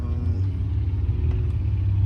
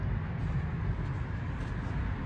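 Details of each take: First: 2010 Mercedes C300 with code P0306, cylinder six misfire from the ignition coil: deep, slightly uneven, loping idle rumble. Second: Mercedes C300 with P0306 cylinder 6 misfire, after replacing ignition coil and spark plugs: low even rumble with steady beat, no stumble or shake; engine now idles smoothly.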